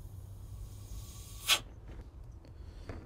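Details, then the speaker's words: 2008 GMC Sierra with brake light problem, brake booster vacuum line released after holding 66.5: single brief sharp hiss as vacuum rushes out, dropping to zero; booster held vacuum properly. "so we're going to release this as you can hear the vacuum's"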